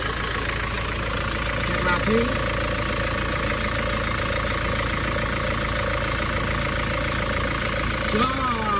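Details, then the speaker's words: Isuzu Panther diesel after repair: smoke problem cured, and broken engine wiring that cut current to the solenoid was fixed; smooth, even idle with a steady low hum and no knocking; healthy idle. "kalau mesinnya suanya sudah halus banget nah ini suara mesinnya seperti ini halus y"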